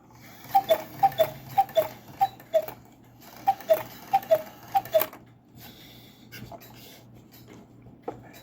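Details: Cuckoo clock after shimming a bellows glued too close to the case with a toothpick: clean, even two-note high-low calls with no popping or clicking between notes.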